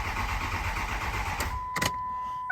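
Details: 2006 Ford 6.0 Powerstroke diesel with a crank-no-start after two other shops replaced the IPR: the starter churns for about a second and a half and the engine never catches, followed by dash chimes; a high-pressure oil leak is suspected.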